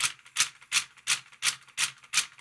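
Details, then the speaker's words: CD player, recorded by the overhead camera's internal mic after transport refit and open/close switch cleaning; pressing open/close gives sharp dry clattering about three times a second with no motor hum: tray mechanism reassembled wrongly, later fixed. "But then when I put the tray back in, I obviously did something wrong, as you'll hear on the overhead camera's internal microphone when I try the open close button."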